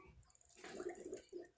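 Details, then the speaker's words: 2005 Acura RL after high-pressure power steering line replacement, fluid filled slightly over max, engine off, wheels turned lock to lock to bleed: soft irregular gurgling and popping as air bubbles out of the fluid. "as we're turning the wheels right now as you can see it's bubbly enough the car is not running at all"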